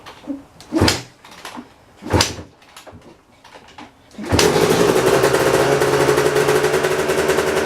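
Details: Kawasaki KX250 two-stroke pulled from storage after ten months or more, fresh premix at 32:1 (or 33:1): a few seconds of handling noise, then catches into a steady, raspy, buzzy run; starts and runs fine.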